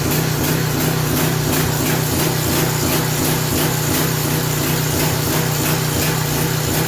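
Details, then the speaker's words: Craftsman 3000 psi, 2.3 GPM pressure washer engine hunting hard about three times a second; crankcase overfilled with oil to the top of the dipstick, oil pushed into the muffler, smoking out the garage, causing the surge. "It was so overfull with oil that the entire muffler is full. That's why it's surging so bad, because I guarantee I pull that plug."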